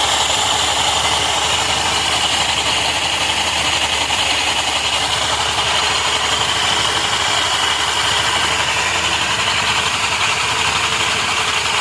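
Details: Honda Activa 125 scooter idling: an uneven, rattly hiss in the upper range that doesn't settle into a clean beat, reported as an abnormal sound from the clutch; cause unconfirmed.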